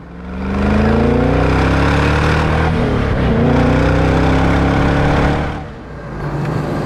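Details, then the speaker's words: Supercharged C5 Corvette driving on the road, checked for howling bearings; strong pull rising through the gears with no howl, whine or clunk; suspension quiet, transaxle smooth, motor very powerful; quiet, healthy drivetrain. "I'm liking the noises coming out of this car or should I say lack of noises yeah the suspension is nice and quiet the transaxle is smooth"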